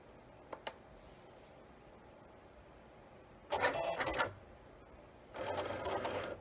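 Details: Cricut cutting machine bought April 2022: two rough buzzing grinding bursts while cutting; fix found online.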